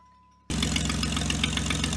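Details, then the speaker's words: Jeep idle after new exhaust manifold gasket and bolts, heat shield missing; loud raspy idle with ragged ticking puff, still sounds like an exhaust leak. "Because if you've watched any of my videos about this thing, you know it sounds like trash. Still sounds like trash."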